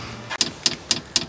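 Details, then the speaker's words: Newly installed JP Heater diesel heater replacing a Truma gas heater: dosing pump priming the fuel line with crisp, even ticks about four times a second, quiet background; fuel filter fills, pump working normally. "Donc ici, on entend la pompe fonctionner."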